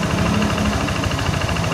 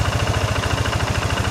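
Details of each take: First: Yamaha NMAX (ISC-sensor injected scooter) that revved up by itself, after a hose fix on the idle control: after about a minute warm it holds a steady, even idle with no hunting or surging; high-mileage engine is somewhat noisy; normal idle. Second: Worn high-mileage Yamaha NMAX fuel-injected scooter with ISC sensor idling after the ISC hose fix, about a minute after start: steady idle with rapid even pulse and rough clattery mechanical rattle; tired long-distance engine, some engine parts need replacing.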